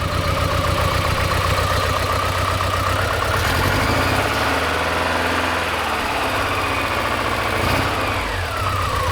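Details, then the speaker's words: 1986 Porsche 944, last registered 2006 and seldom run, idling: uneven chugging with a lumpy beat and loose rhythm, sounding like a fairly strong misfire; cause not determined. "It's got a pretty good misfire, it sounds like. It's chugging."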